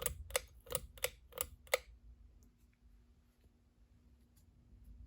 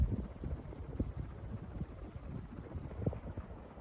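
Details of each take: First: 42-inch Westinghouse Casanova Supreme ceiling fan, started on low speed. Pull-chain clicks, then a faint steady motor hum; the bearings are stiff. The owner is unsure of the cause and notes the fan stops quickly. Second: 42-inch Westinghouse Casanova Supreme ceiling fan on high speed. Soft, even airflow rumble with no ticking, wobble or rubbing; runs smooth and healthy.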